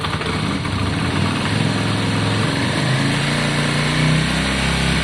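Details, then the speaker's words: Yamaha Virago 535 V-twin after carburettor cleaning and re-jetting, started on choke and warming up: steady, even deep thump with no stumbles or misses; normal idle. "oh i think that sounds better right wait let it warm up"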